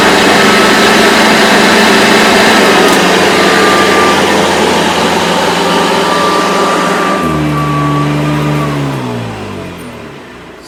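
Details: Hoover Decade 80 upright vacuum (model U4385, 120 V 60 Hz 6.0 A), older machine long unused, switched on over carpet on surge/extra-power setting: steady high motor whine, then smooth wind-down at switch-off; normal running.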